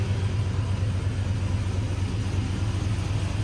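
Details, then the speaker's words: Cammed truck rated 450hp, idling after header gasket replacement and oil change, with a coil pack left unplugged so partly running on four cylinders: a deep, steady rumble with a cam lope and no exhaust leak ticking. "no more horrible sounds down here now we can hear the cam a lot better hear the cam here the muffler here's the exhaust system I have"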